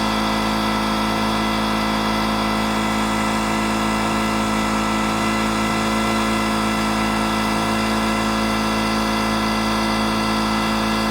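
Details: Detroit Diesel 8V71 two-stroke V8 from an old tour bus, racks tied at full fuel, in runaway: steady hard roar at high unchanging revs.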